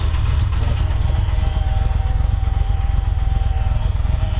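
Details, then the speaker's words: Early-1970s first-gen Honda Civic running, near stalling and likely low on fuel, with a noisy fuel pump: loud, deep, rough drone with coarse pulsing rumble at idle; horrible poorly fitted exhaust. "the fuel smell really stinks then we have this horrible exhaust"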